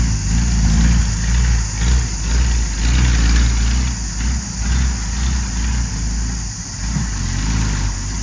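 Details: Ex-Australian Army International ACCO 6x6 truck with a Perkins 6354 six-cylinder diesel, just started after bleeding air from the fuel lines: even, steady low clatter at idle, regular beat, no misses or knocks; normal diesel idle.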